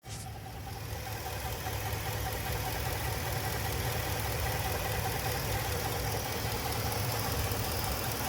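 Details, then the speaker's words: Ford F250: steady engine roar with a faint uneven tapping two or three times a second, seemingly more prominent under the vehicle at the front; source unidentified. "Noise seems to be more prominent under the vehicle from the front."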